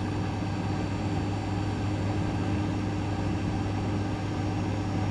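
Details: GE refrigerator that clicked and wasn't cooling, after replacing the compressor overload relay/capacitor part (WR07X10131 in place of discontinued WR08X10089): smooth steady low compressor hum with no clicking or cycling. It is running normally and fixed.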